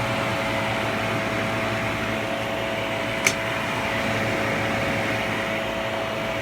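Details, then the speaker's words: Philco Noisless 6800 BTU air conditioner, 1960s–70s, free find, likely unused for years, 81°F outside: even fan whoosh over steady compressor hum, one brief click, no rattles; blowing cold air, running normally. "So that's working pretty well. It's definitely cold."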